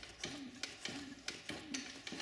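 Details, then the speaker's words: Q-Power scooter wheel after bending the disc brake rotor outward to stop pad drag: wheel spins freely with only a faint light tick about twice a second and no steady scraping; pads no longer dragging. "you just don't want them constantly dragging on the pads as you can hear this one's pretty good now"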